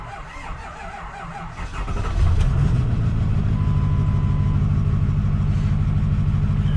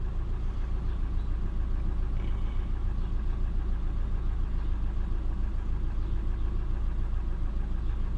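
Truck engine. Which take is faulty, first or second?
first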